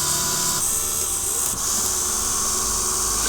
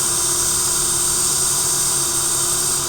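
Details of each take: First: fischertechnik hydraulics model, second pump motor: steady high-pitched electric whir holding even speed without humming or labouring; running fine, unlike the other motor that hums. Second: fischertechnik hydraulics model pump motor after running some time: steady hum over high hissing whir, motor starts to vibrate at some frequency; stops when pulled back.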